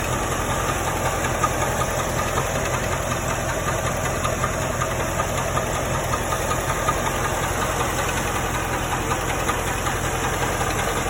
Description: This is the sound of a rod bearing that has gone bad.